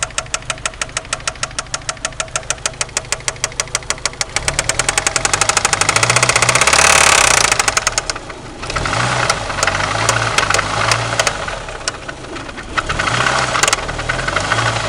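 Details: 1993 Eagle Talon turbo, stock 7-bolt 4G63: heavy regular knocking about three per second, swelling with revs; verified spun connecting rod bearing, play between rod and crankshaft found with oil pan removed.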